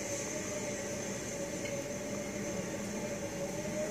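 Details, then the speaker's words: 1956 Cadillac automatic transmission at cold idle giving steady whining squeal in reverse over low idle rumble; better than before, cause undiagnosed. "This whining, squealing. It's much better than it used"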